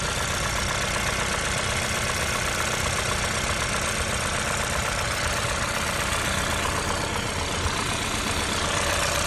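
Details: Hyundai i20 N at idle: a sharp, fairly even knock about four times a second over a bright, busy engine note; cause not yet known.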